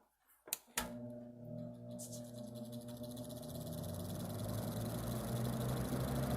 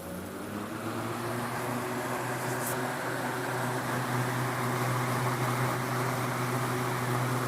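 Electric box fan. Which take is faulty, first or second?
first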